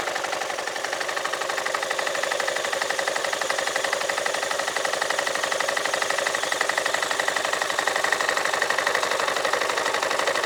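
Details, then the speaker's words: Yamaha Majesty scooter CVT idling about 1100–1200 rpm, clutch cover off: light regular metallic clanks about four a second; clutch shoes slapping against the bell, owner unsure if normal. "it's the shoes moving around in the or slapping against the Bell I'm not sure why unless that's normal"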